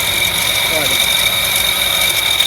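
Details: 2019 Ford Ka 3-cylinder at idle with a steady high-pitched whine from the belt area; alternator pulley or tensioner suspected.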